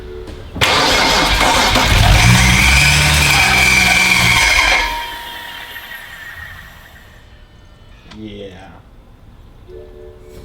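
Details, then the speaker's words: BMW 135i N54 engine, first start after reinstall and oil priming: harsh metallic scraping over cranking and firing for about four seconds. No smoke, not rod knock; transmission or torque converter suspected. "that sounds like metal is scraping is that the transmission well good news is no smoke out the exhaust engine started it wasn't rod knock something scraping"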